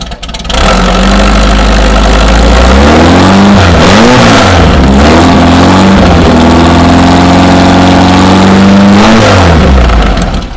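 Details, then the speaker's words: VW Beetle air-cooled engine, cold-ish start after 2-3 days, after replacing the old knocking alternator and fan and fitting a Scat serpentine belt system: catches and settles to steady idle with blips, no knock; runs and charges normally. "Old alternator was definitely what was making the noise. So we got that replaced, we got the fan replaced, installed the nice scat serpentine belt system."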